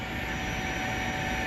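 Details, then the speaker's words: Lifan KPR 200 motorcycle at key-on: a steady electric hum with a thin constant whine and no stutter, the fuel pump priming. The bike would not run when new until the key was cycled on and off about 15 times; the pump now engages normally. "So you got to turn it off, you got to cycle it to run, and you hear that pump start to engage."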